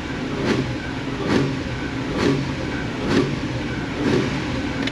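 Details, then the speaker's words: Engine with failed catalytic converters, rear O2 sensors switching like the fronts: quick repeated throttle blips, each giving a brief rattly burst from the exhaust as the broken-up cats rattle inside. "It's like they straight piped it. I can hear them rattling, so I know they're there."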